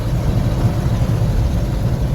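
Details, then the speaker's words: 1974 Ford Bumpside 1-ton, FE 360 V8 with rebuilt Motorcraft 2-barrel and reset idle and initial timing, climbing a big hill in 3rd gear at about 2000 rpm, 3/4 throttle: deep, steady pull firing on all eight, smooth, no miss. "No missing. She's hitting on all 8. It's doing exactly what it should be doing. Big hill. 3/4 throttle. Maintained all the way up the hill. Just absolutely smooth as silk."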